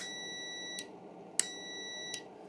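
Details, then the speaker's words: RV switch checked with multimeter continuity mode: short clean beeps come and go as the switch is flipped, steady tone when closed; switch is good. "So, if I were to get my leads on both probes of that switch, we can hear it's beeping, right? Means it's passing power through or it's capable of passing power through."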